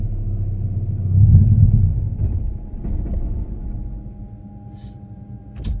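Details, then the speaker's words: 1996 E10 Toyota Corolla, running rough and spluttering despite new spark plugs and leads: low rumble swells briefly then sags and fades as the engine dies on the tiniest bit of throttle. "had the tiniest bit of throttle and she just died"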